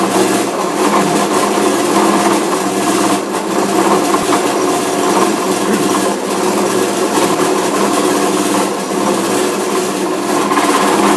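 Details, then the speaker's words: Busy, steady mechanical clatter with irregular knocks and banging from the drive of an old lathe-type machine running a radius turning setup; cause found under the drive cover: a worn, sheared pulley keyway. "well that sounds like something's going on there we're gonna investigate that no saw she's rattling and banging you better bring it around and have a look then"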